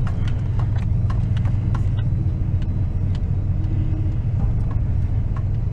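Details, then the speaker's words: 2004 Toyota Tundra daily driver at idle with a leak dripping below: deep, uneven rumble with irregular knocks and rattles, shaking the whole truck; badly rough running, owner suspects the timing belt jumped, not confirmed. "she's probably even seated in the camera shaking the whole truck shaking"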